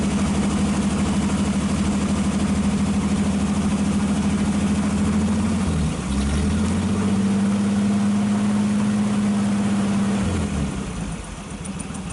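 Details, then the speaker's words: 1948 Nash straight engine after carburetor rebuild and new exhaust pipe, running low without air cleaner: steady, even idle with one brief dip before shutdown, no misses, knocks or smoke; normal idle. "okay hard to say what it sounds like on camera but it really sounds good no smoke whatsoever"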